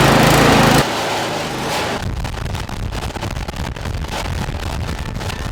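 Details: Brand-new Toro Power Max HD 828 OAE snow blower, 252cc Toro Premium engine, first cold start primed three times on choke: a loud burst, then it catches and settles into a quick, even chug with no knocks or misses.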